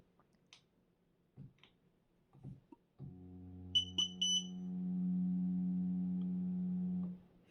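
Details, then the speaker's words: Cammus C5 wheel base powering on: few clicks, low motor hum and three quick loud high beeps from the start-up sound setting, which can be switched off in the software. "as you can hear the sound is very annoying especially at night believe me it's very annoying it's very loud"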